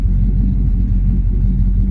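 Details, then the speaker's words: Petrol engine running off a newly installed gas tank and fuel lines, with oil pressure steady and temperature not overheating. A deep, steady idle rumble with even firing and no knocks or misses; sounds healthy. "Pretty good, oil pressure steady, temp not overheating,"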